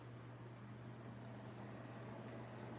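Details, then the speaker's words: BougeRV 53-quart mobile fridge/freezer powered from a Go Power unit: low steady even compressor hum with no knocks or rattles; normal running, drawing about 35-40 watts at high. "Can y'all hear the compressor? I'll be doggone. There you go, family. Because I know this only pulls about 35 or 40 watts when the compressor is high running."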